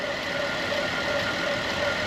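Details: 2010 Buick Enclave CXL V6 with a smooth, even idle hum, no stumble, miss or hiss, after the leaking vacuum hose was replaced with a thicker hose with a heat-protective cover, curing the misfire.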